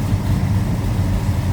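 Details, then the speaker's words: Warmed-up idle of a 1969 Pontiac GTO hardtop (Judge tribute) with a built 428 XF-code V8: a deep, even burble with a slight lope and a little rumble, no knocks or ticks. The engine sounds healthy. "All right, I think we're warmed up. Told you it sounds healthy. There's a little rumble."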